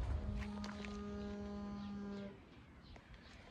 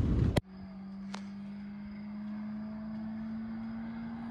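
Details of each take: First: Honda Civic GL parked, idling: a low steady moo-like tone at even pitch for about two seconds, then stops; source unknown. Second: Honda Civic GL (EC9) with dual carburetors and a newly fitted straight-through exhaust: a loud open drone climbing in pitch as revs build, peaking sharply, then dropping away. Normal straight-pipe note.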